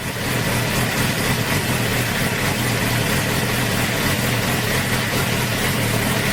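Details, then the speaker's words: 2008 Suzuki GSX-R750 K8 after fixing its idle problem, warming up from about 112 degrees with the throttle held slightly open (it likes 120–130 degrees). A steady, even, slightly raised idle with no misses or knocks. "i'm holding it just a little bit just to get it warmed up it likes about 120 130 degrees here"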